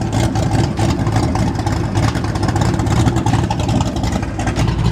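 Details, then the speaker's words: 1989 Ford Mustang GT V8 idling after new fuel system: deep lumpy idle with open choppy exhaust pulse, no ticks or knocks; normal healthy idle. "oh she sounds extremely well so good can't wait to actually take this thing out on the road and be able to beat the living crap out of it"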